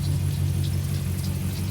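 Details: After an M62 540/6 engine swap with a new clutch and new transmission mount, said to be the quietest M62: a deep, even V8 burble at idle with no ticking or knocking; normal idle.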